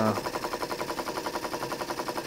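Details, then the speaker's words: Jensen 20G steam engine after replacing a loose rubber/silicone cylinder seal that caused an awful bumping noise, now with proper seals: crisp, even chuffs about nine per second, no knocking; running normally. "It is working fine now. No more terrible noise. So that was the cause."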